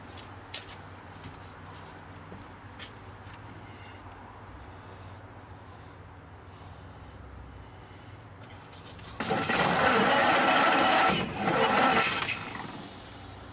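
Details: 1931 Ford Model A roadster, first start in years with new distributor cap, wires and points, carburetor fed; slow uneven cranking then sudden rough catch and roar before dropping back; hard start, timing found advanced too far.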